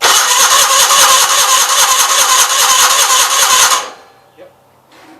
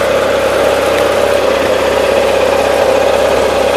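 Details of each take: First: 1976 Gravely 816 after clutch work, carburetor dry: long steady chugging crank about three turns a second, pause, more cranking without catching; hard start, possibly flooded. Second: 1976 Gravely 816 tractor engine: steady even drone with constant mid-pitched tone, no knocks or misses; running really good, with a leak seen only when shut off.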